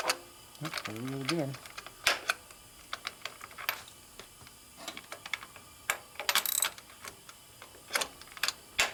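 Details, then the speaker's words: 1972 Harley XLCH Sportster ironhead during clutch cable and clutch repair, engine off: intermittent sharp dry clicks as the clutch release is worked. The cause is unknown, the clutch still works, and the ball-and-ramp did not look pitted. "again it's not consistent wiggle around a little bit stick it in there do it do it once I don't know what that is do it again don't know it's not affecting how it works but it doesn't sound good"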